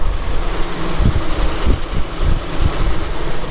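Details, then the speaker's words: 454 big-block V8 moving truck, first running in 7 months after ground repair; oil pressure came right up, coolant was low, cold and slightly smoky; deep, steady idle with even low rumble, no knocks or misses; running nice. "i'm working my way through this to kind of see what else is wrong with it but it's running nice"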